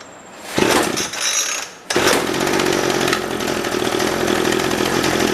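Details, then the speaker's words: Old pre-1990s two-stroke chainsaw, bar oil cap is a makeshift unvented cap, started on choke: two short pulls, then fires and settles into a steady, buzzy idle with no misses; healthy, left to warm up. "That was too easy. We'll give it a second to warm up."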